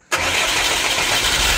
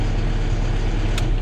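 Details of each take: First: FAW diesel truck previously hard-starting and shaking, after fuel filters full of water and rusty dirt were replaced: engine fires almost instantly and settles into a steady, even run with no shaking. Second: FAW diesel truck with hard starting and poor power: deep idle with an uneven, shaky throb; water was found in the fuel filter, and the engine runs rough from water in the fuel.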